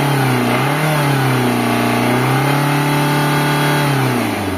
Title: indica engine noise problem #engine #tatamotors